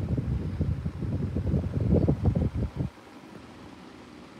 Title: The Schallen 12 Inch Desk Fan With Really Bad Bearings